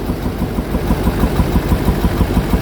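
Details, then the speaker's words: 2005 Duramax diesel just after head gasket job, rough idle: uneven top-end tapping, popping back through the intake, louder passenger side and at air box; suspected valves out of adjustment, unconfirmed. "They did head gaskets on it, and they are thinking the valves are out of adjustment. It's popping back through the intake, making some noises in the top end."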